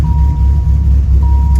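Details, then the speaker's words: 1997 Dodge Viper GTS after new spark plugs, valve cover left off: deep idle rumble that is uneven and shaky, still misfiring; coils were later tested good and one cylinder showed low compression of 120. "well still it's still shaking this still has a misfire so i'm gonna make sure it's the the coils right now"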